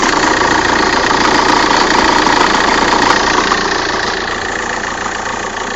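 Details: 1.9 CDTI diesel at cold idle, with the dual-mass flywheel replaced a month earlier: a hard, even knock about 3–4 times a second with vibration underneath. It only happens on cold start and is fine after 3 minutes; cause undetermined.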